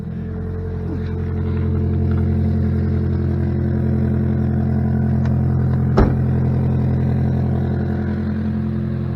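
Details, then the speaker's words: 2006 Saturn Ion Redline, 116,602 miles, at start-up: loud low chuffing drone with rapid puffing pulse about three per second swelling with revs, a major exhaust leak. "It does have a major exhaust leak too, so not hear me once this gets going. Jeez."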